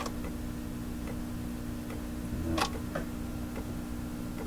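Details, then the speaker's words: Fleetwood 660 record player, automatic record changer running at 78 rpm: a sharp click every 0.8 seconds at the same point in each platter turn, over a steady low hum, possibly power supply hum; mechanism underneath suspected. "clicking you can hear it occurs in the same point and the spin-around on this I think I know what that is"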